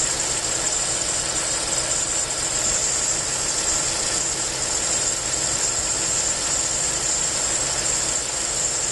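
Steady high hiss sits over a quiet idle without changing; something is leaking air or vacuum, source not yet pinned down.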